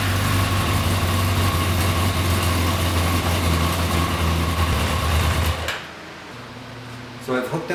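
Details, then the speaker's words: 1992 Yamaha XJ600 that sat unridden since the pandemic, running after carb cleaning, in neutral: an uneven, lumpy idle with an unsteady pulse for five seconds before it cuts out. Runs rough; owner suspects the carbs are badly out of sync. "i suspect these carbs are just really out of sync which is why it's running like an absolute turret"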